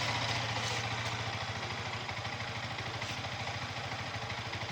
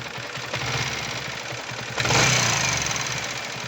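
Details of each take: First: Yamaha R15 V3 BS6 at about 8,000 km, after rocker arm replacement and valve clearance set for engine head noise: steady, even idle with clean, regular exhaust pulse and no valvetrain ticking; normal idle, noise fixed. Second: Yamaha R15 V3 BS6 at about 8000 km, before repair: light rapid ticking over the single's idle from the engine head, sharpening with revs; worn exhaust rocker arm, fixed by replacing it and setting valve clearance.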